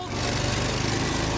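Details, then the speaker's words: Old Vanguard twin on a roughly 20-year-old, high-hours Bandit 65XP wood chipper after an electric fuel pump conversion and new feed tube, on choke at first start. Even, steady firing pulses with no misses or knocks; previously wouldn't start, now runs great despite low compression. "I fixed the engine. It's running great. You know, it doesn't have the best compression in the world, but I tell you what, it runs great at full throttle."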